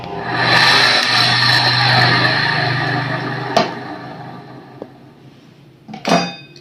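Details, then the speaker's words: Coconut grater motor that only vibrated and hummed, after disassembly and shaft lubrication: spins up on its own with a steady even hum and whir, then coasts down; runs freely now, no stalled buzzing. "Sudah sip ya, sudah bagus."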